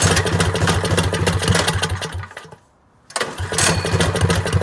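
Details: 212 engine with a Stage 1 modification kit, running before the muffler is fitted: loud, sharp bark drops out briefly, then picks straight back up and runs strong and even.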